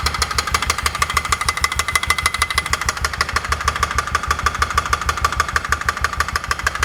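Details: 2004 Polaris Ranger 6x6 UTV after rebuild: sharp, even metallic tapping over idle from the top end; owner suspects exhaust valves making contact, possibly piston installed backwards.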